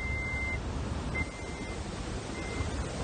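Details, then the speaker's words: Toyota ignition lock, faulty key buzzer switch: thin high chime in short bursts only when the key is pushed in or the lock retracts on turning; immobilizer light goes off then, vehicle starts, problem is the lock, not keys or key weight. "Once these keys are actually programmed, like I turn it, it'll the light will turn off as the uh the lock kind of retracts itself in a little bit and it'll hit the buzzer."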